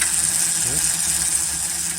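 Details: Quad converted from petrol to electric with hybrid-car battery pack, motor controller and BMS: steady high-pitched electric whine at one even pitch at full throttle in speed-limited reverse, smooth with no grinding; motor sounds healthy.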